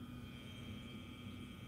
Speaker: hi guys another quick video and this is on the vortec um mp40 got a bit of trouble in them and it's making a lot of noise and it's laid down if you can hear it